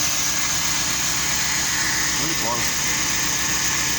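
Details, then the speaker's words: Chevrolet Celta 2005, 1.0 VHC engine: steady, even idle with a light hiss and no knocking. A noise resembling a connecting rod knock was a small pebble in the accessory belt pulley groove; after removing it, the noise is gone. "Agora, ó, barulho nenhum mais. Problema resolvido."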